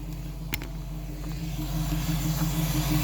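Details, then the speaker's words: Ford 302 V8 restarted after sitting two weeks, smelling rich: low, unsteady idle with an irregular beat near three per second, slight shake; owner unsure whether it is missing, running rich, or timing is off. "It is idling right there. So I don't know. I don't know. Might have two big jets in it. ISO might not be showing how shaky it is. Got a little bit of shake to it."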